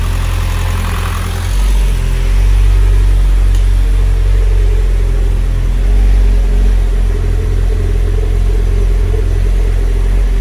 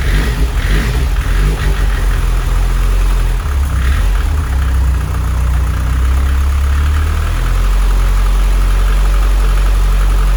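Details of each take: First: Mitsubishi Evo X 600bhp turbo petrol build, first start after fitting the timing chain and replacing the turbo feed banjo bolt: clean, even low-rumble idle with no knocks or misses. Oil burning off the new manifold and downpipe; earlier lumpiness was put down to the hardwired fuel pump. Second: 600 bhp Mitsubishi Evo X turbo build, first start after fitting timing chain, fuel pump hardwired to 12 V: deep uneven idle with wandering irregular lope; rough lumpy idle, owner suspects too rich.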